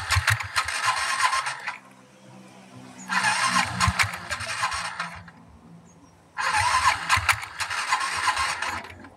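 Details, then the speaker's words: Scooter on long Bangalore–Gutti highway trips, belt snapped mid-highway and replaced; three short rev bursts with dry rattly tuk knocking under engine note from inside variator; mechanic says rollers worn and need changing. "అది ఏం sir roller roller ఇది టక్ sound వస్తుంది కదా ఆ sound పోతదింటే లోపల దీంట్లో ఉంటా లోపల"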